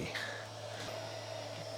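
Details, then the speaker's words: Jasper-revision Xbox 360 DVD drive after repair, reading a Guitar Hero disc with fans not yet refitted: steady low hum and smooth even whir from the spinning disc, no clicking or grinding; normal disc spin. "all right it seems to be working I won't run that for too long because we don't have the fans and everything else in the right places so I don't want this thing to overheat but uh the drive appears to work"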